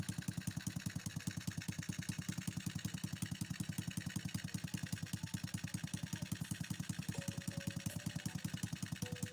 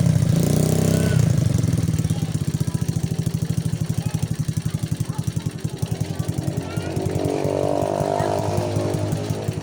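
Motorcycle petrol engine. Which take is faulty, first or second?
first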